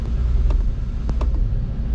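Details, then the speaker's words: Engine after replacing a part that had stopped it dying at start: a rough, steady idle with loud hollow suction from the unfiltered intake and sharp clicks. There is no throttle response and no tach; the owner suspects the other throttle body. "But now at least it's running, but I still have no throttle."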